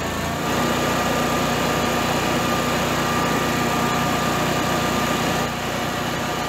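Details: Generac-built Honeywell standby generator after an overspeed shutdown: the loose governor servo screw was Loctited and the servo readjusted with room to go slower or faster; steady, even engine note holding constant speed, no hunting or surging; normal governed run.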